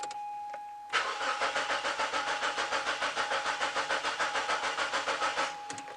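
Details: Mazda 626 petrol with an intermittent no-start, cranked with DC-filtered fuel pump current on the scope: even cranking about three and a half beats a second for five seconds, no catch; pump current then disappears, dead fuel pump.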